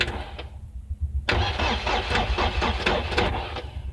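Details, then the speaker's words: 2002 Mercedes Sprinter 2.2L common-rail diesel that won't start on its own and stalls under load: starter cranks steadily about four compressions a second with no firing; ECU shows no duty-cycle control signal, immobilizer unlocked. "Okay, that's me trying to crank the vehicle, and clearly you can see we are just losing a bit of voltage because the starter motor is drawing a lot of current, so the voltage goes down a little"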